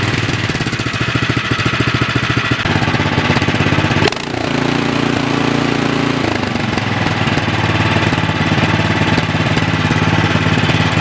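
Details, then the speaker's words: 24-inch Troy-Bilt snowblower, nearly new, that sat 9 months with fuel and only ran on choke, after the fix and idle-speed adjustment: small single-cylinder putter at a steady beat, no surging or dying; normal idle. "The idle set good, so I'll put the cover back on."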